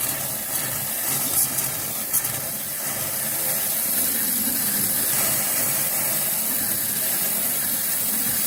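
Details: After a hot water tank replacement and refill, a faucet is opened upstairs to burp the lines: an irregular sputtering hiss of water and air as trapped air purges, which is normal.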